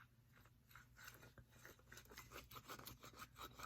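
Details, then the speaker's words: 2002 Yamaha WR250F engine bought seized, with the crankshaft turned by hand; rough, gritty rasping in uneven bursts that catches and locks up. A shot crank main bearing with excessive up-and-down and side-to-side play caused the seizing. "you hear that? It doesn't sound very good, and it locks up. Sometimes makes it super hard to rotate, and this was what was causing that seized effect. So the bearing is shot,"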